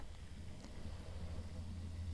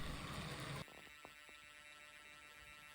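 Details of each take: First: Hornby TT:120 A1 Gresley locomotive after fitting a DCC chip, running on DCC at its slowest crawl speed: only a faint, low, even hum with the earlier buzzing gone; quieter, smooth-running motor. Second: Hornby TT:120 A1 Gresley locomotive crawling on DC from a cheap train set controller before DCC chip fitting: steady low buzz with faint whine, worse the slower it goes; owner blames the cheap controller.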